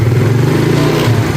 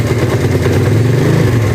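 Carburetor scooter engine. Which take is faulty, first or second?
second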